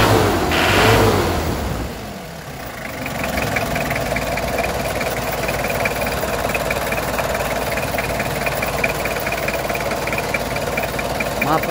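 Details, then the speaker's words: 2005 Mitsubishi L200 Strada GLS 4x4, first generation, 2500cc 4D56 diesel; starts and settles into a steady, even clatter with no knocks or misses. "gasnya bagus pemirsa tidak ngos jadi pemirsa Mitsubishi L200 Strada generasi pertama dia bermesin diesel 2500cc dengan kode 4d56"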